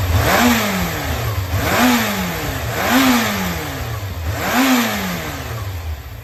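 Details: Yamaha XJR400 4HM early-type inline-four running engine assembly, compression tested: blipped from idle several times, revs rise and fall cleanly with a smooth even note, no knocks, no abnormal noise.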